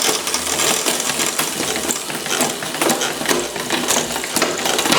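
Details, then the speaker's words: Road bike rear derailleur after the overlong gear cable outer was fixed and tension adjusted: crisp, quick clicks as the chain shifts cleanly across the cassette over freewheel ticking, no hesitation or grinding; normal shifting. "IT GOES UP PERFECTLY."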